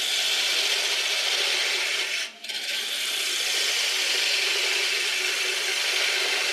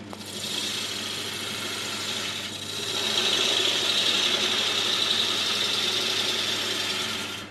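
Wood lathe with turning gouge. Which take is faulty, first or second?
second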